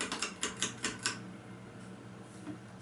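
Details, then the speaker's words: 36-inch ceiling fan, possibly CEC Toastmaster, on medium speed; light quick ticking rattle about five taps a second over soft fan hum, coming from the oversized light fitting on the fan, not the fan itself. Light fixture rattle. "Make some noise that noise is not coming from the fan itself it is coming from the light that is on the fan"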